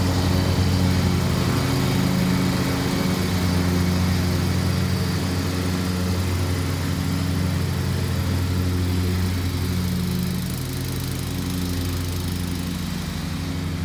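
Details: Scotts by John Deere riding mower (42-inch deck), 16 hp Kohler Command engine, after wiring repair for no spark and replacing missing engine mounting bolts: steady, even drone with no misses or knocks; runs smooth, normal running.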